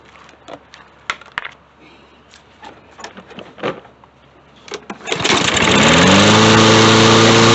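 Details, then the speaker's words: Lawn-Boy mower with 150cc Briggs & Stratton TB200 engine, after carb work, test fire: a few clicks and taps, then it catches in about five seconds and runs steadily with no stumbling; cause was a broken, hardened carburetor cartridge gasket. "damn there it is guys so his issue with his more was that gasket was bad"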